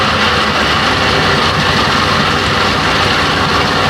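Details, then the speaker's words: 1992 Johnson 60 hp two-stroke outboard: loud steady drone stuck at fast idle, not idling down normally; drops to about 1000–1200 rpm in gear. "It's not idling down like normal. Wait a minute, there it goes. Sometimes when I shift it, the level pops up."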